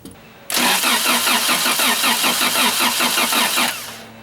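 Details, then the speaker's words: Toyota Celica 22RE engine after gasket replacements, cranked on battery for a compression test: starter spins about three seconds at an even three strokes a second, strokes alike; cylinders read about 150 psi each, even compression. "After a couple cranks, cylinder one is at about 150, which is pretty good. As you can see, cylinder number two coming in at about 150 as well."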